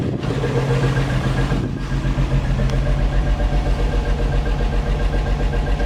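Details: 1963 Rambler American first start after rebuild, warm at about 195°F: smooth, even idle pulse about three or four beats a second, no knocks or misses; slight exhaust leak, oil smoke possibly from overfill, generator light on; normal idle.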